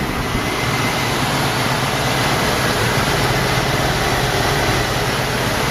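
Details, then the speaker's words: 1986 Mercury Grand Marquis LS, first start of season after flooding with fuel, throttle floored: steady full roar with no misses, knocks or ticks, then idles down; running good. "Whoa. Yeah, not much wrapping at all, which is good. She's running good. Just like I expect her to."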